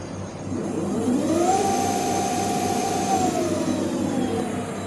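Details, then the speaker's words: 2007 Emoto Renza electric scooter, BLDC hub motor (factory 500 W, 48 V), upgraded to Votol EM50 controller and 72 V 24 Ah LiFePO4 battery, reaching 1000 rpm on dashboard; clean whine rising and falling smoothly, very quiet; healthy hub motor. "Suaranya halus banget."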